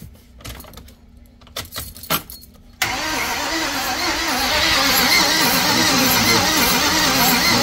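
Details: 2012 Ford E-450 cranking: steady starter churning with a rough, uneven beat that never catches; crank no start with the engine head temperature sensor reading -40, suggesting an open circuit or faulty sensor, cause not confirmed.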